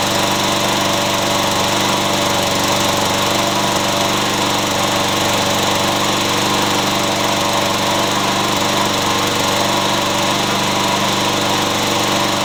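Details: Yard Machines mower that would not start or stay running, after carburetor and fuel check: small single-cylinder engine holds a steady, even buzzing run with no misses or surging; runs clean and healthy.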